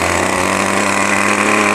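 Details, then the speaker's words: New O.S. 40 FP glow engine on a model airplane during ground break-in, starter on, held back by an assistant at full throttle on its first tank: steady buzz, slightly blubbery and soft-edged rather than crisp. Running rich; needle valve to be leaned progressively. "We're going to take it up to full throttle now, and you'll hear it's kind of rich from the"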